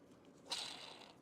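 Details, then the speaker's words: Compact emergency suction unit, motor that felt frozen, after spraying out rusted bearings: one light whirr fading over about half a second, no grinding or rasp; bearings now spin freely and smoothly. "there's they sound like they're rolling really smoothly now"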